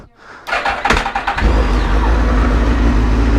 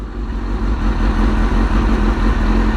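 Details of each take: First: Suzuki GSX-R motorcycle with new fuel pump and Power Commander, throttle issue noted: short uneven starter chatter into a steady low rumble; cranks sluggishly, owner suspects the battery or something getting stuck. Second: Suzuki GSX-R motorcycle after new fuel pump and Power Commander: strong, even low rumble with steady beat, no ticking, knocking or stumbling; running smoothly.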